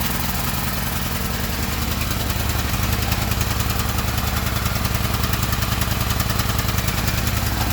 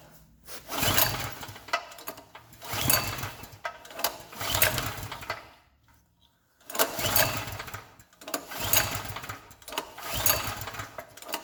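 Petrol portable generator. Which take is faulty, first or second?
second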